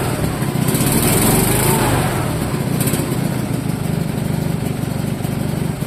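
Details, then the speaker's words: Fiat Jolly 500cc engine fitted with a lawnmower carburetor, on its first real run in several years: it ticks over at a steady even beat with no misses; a smooth, healthy idle. "Runs nicely. Well, this was a total success. The car runs pretty darn good, uh especially for being its first real run in several years."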